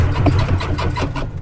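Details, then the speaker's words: 1951 Henry J on jump pack, cranking: heavy low rumble under two seconds, dying away without catching; turns over but won't start. Points working; crew suspects the overheated ignition coil is cooked, not confirmed. "I don't doubt that we cooked that coil. Baby was pretty hot. I don't doubt we cooked the jump pack here soon. Let me see what the problem is now."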